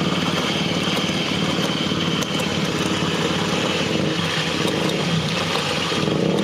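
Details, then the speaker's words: Honda Scoopy injection scooter, jerky and noisy on take-off: soft at idle, rough rattling clatter as throttle opens; CVT pulley shaft loose in its bearing, shaft end and bearing bushing worn. "bagian bearing BG CPT biasanya antara ujung aspuli dengan bearing BG CP dia udah longgar biasanya entah e ujung aspulinya yang ah Aus yang udah kecil yang udah peang juga di bagian bearing bxivt-nya di bagian kuningannya yang udah habis gitu"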